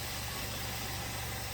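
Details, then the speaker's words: 2016 VW Golf 1.8 with a cold hard start and long crank, at idle: uneven rough running, rich, stumbling with random misfires and strongly negative fuel trims. New injectors, walnut-blasted ports, fuel pressure and compression checks brought no fix. "you can hear the way it's running it's rich stumbling misfiring randomly"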